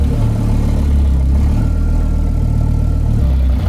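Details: Audi S4 on first start after a full restoration, with no tachometer fitted yet. A steady, even low idle with no knocks, ticks or rattles; the engine sounds healthy, though the power-steering pump was boiling.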